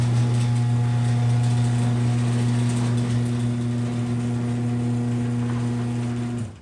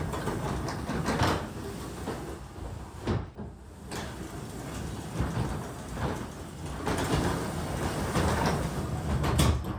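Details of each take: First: Garage door with new nylon rollers, freshly greased, run by the original 2005 AC chain-drive opener; strong steady low motor hum with faint chain slapping about four times a second and carriage running on rails; old opener is main noise. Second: Garage door from 2005 after greasing all the moving parts: soft even rumble and light rolling clatter, no screech or grinding; normal quiet operation.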